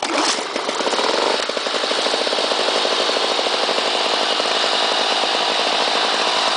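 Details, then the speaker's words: Lawn Boy 8241 two-stroke mower from 1984 with blade brake clutch, primed two or three times and started despite a fuel line leak. Sharp buzzy note settling into a fast, steady, clean run with no blade load. Normal. "unique sound when you when it starts up and that it's uh the engine doesn't have a load on it"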